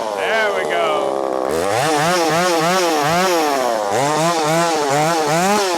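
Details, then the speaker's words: Ported Poulan Pro 4620 chainsaw with an 18-inch bar, carburetor idle being adjusted, under load: the high buzz surges and sags about twice a second as it runs out of fuel. Fuel starvation from an unvented tank cap (fuel leaked and hissed at the cap). "running out of fuel. It's running out of fuel. Something's going on with that carb."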